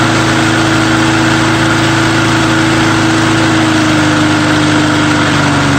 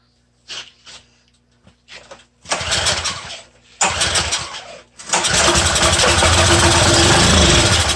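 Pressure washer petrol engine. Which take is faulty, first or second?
second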